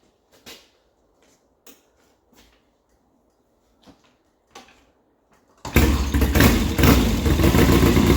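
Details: 1972 Triumph Bonneville 650 twin that sat roughly ten years; with new plugs fitted and points sprayed, a few kicks, then it fires into a lumpy, uneven idle, one side still dead; the points need cleaning.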